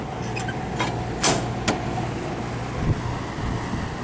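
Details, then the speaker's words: Daikin/McQuay room HVAC unit cooling with compressor running, fan on high, room at 74°F: constant airy rush over low steady compressor hum, a few handling knocks; normal high fan operation, loud. "Now, as you can hear, it gets pretty loud, and it blows a ton of air. Now if I go to the entrance of the room, it is very loud."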